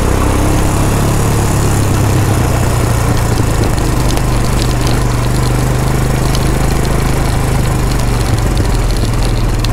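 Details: Honda Big Red three-wheeler, yard-sale find, first start on a jump box: deep, steady single-cylinder idle with no misses, surging or rattles; normal idle.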